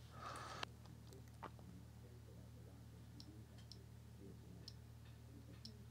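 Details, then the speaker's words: Amiga 500 with the CIA chips swapped back and the suspect CIA reinstalled. The drive is accessed but reads nothing: quiet hum with a few sparse, light clicks and no steady reading rhythm. The CIA is confirmed faulty, failing the same way in another machine. "yeah that same messed up thing so it's sort of accesses the drive but then doesn't actually read anything from the disk"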